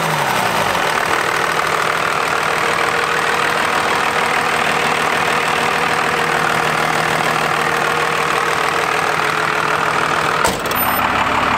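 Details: Compound-turbo 12-valve Cummins diesel idling: loud idle with fast loose ticking about three per second and sharp puffing; soot seen rising around the exhaust manifold, suspected manifold leak, not confirmed.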